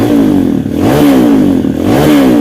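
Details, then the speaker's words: Kawasaki KLX 150 BF, bored up, after replacing the electric starter one-way clutch rollers to fix a slipping, rough starter: revs up and drops back cleanly in short blips with no slipping or grinding; starter no longer slips or sounds rough. "Ya sudah tidak ngelos lagi sudah tidak kasar lagi starternya"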